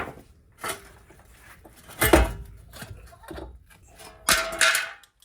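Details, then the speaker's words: Worn wheel bearing removed from a 2012 Nissan Altima 2.5 and turned by hand: irregular, gritty, dry rattling bursts every second or so. The bearing internals are shot. "Wow, this sounds really bad. Hear that? All the bearings inside are shot."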